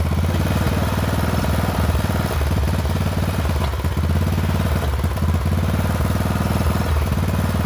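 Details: Poulan XT 12538 riding mower, 12.5 hp single-cylinder, 38-inch deck, warm, after a new carburetor replaced one leaking fuel into the crankcase: loud idle thump with an uneven, stumbling beat. Rough running; owner suspects intake/exhaust valves are out of adjustment.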